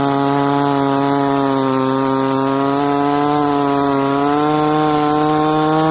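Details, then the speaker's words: Ported 66cc longer-stroke Dolmar chainsaw cutting knotty wood: high, steady scream all the way through, pitch barely dipping on the knots, no stumble or hesitation; a healthy saw under load. "whoa all the way through didn't stumble hesitate we're pretty much through the knots"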